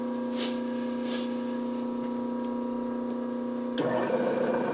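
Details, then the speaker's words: Newly acquired Bridgeport mill run on a phase converter with the speed range knob in neutral: smooth, even electric hum at one steady pitch with no knocks or catching; the motor turns freely. "sounds like that motor is turning free huh"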